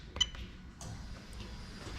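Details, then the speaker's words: Lexus LS400 1UZ-FE VVT-i hardwired IS200 harness on test bench: one crisp fuel pump relay click, then faint steady pump hum; relay switching and fuel pump running normally. "Right, okay, so on the count of 3, I'm gonna press the button and you should hear the relay click and the fuel pump come on."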